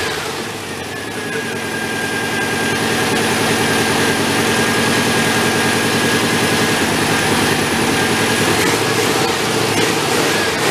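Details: Homemade 1970s Volkswagen-powered tractor after transmission and flywheel work, idling; steady loud idle with an uneven, lumpy beat about three a second, runs rough, cause not confirmed.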